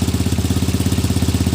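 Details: Tata Nano after repair of a misfire/missing problem: small twin ticks over evenly, about fourteen steady pulses per second with no skips or stumbles; clean, healthy idle.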